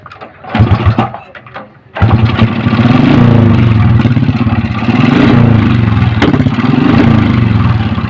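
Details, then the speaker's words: Honda Supra X 125 with intermittent ignition, started after ignition check: catches after cranks, fast uneven idle with sharp pops, misfiring; owner suspects spark plug failing, to be replaced, unconfirmed. "oke mas bro hidup ya tapi nembak-nembak mungkin businya udah mulai mati juga nanti kita ganti s"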